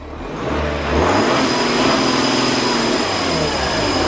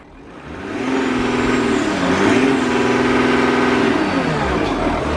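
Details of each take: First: Audi Q7 4L 3.0 turbo diesel V6 losing boost pressure, revved with the front bumper on: steady airy hiss rising with revs from behind the driver's side bumper, a boost leak. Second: 2013 Audi Q7 4L 3.0 V6 turbo diesel after replacing a cracked intercooler that caused a boost leak: revs climb and fall cleanly, smooth pull, no boost-side hiss; leak gone.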